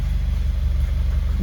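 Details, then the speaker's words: Subaru WRX FA20DIT at low, even idle after about 40 hours of repair work: quick, steady exhaust pulse, all four cylinders firing cleanly with no misses or knocks; normal idle. "i knew we were so we can't expect it to run absolutely perfect but she runs and dude perfect sounds good all four of them sounds good"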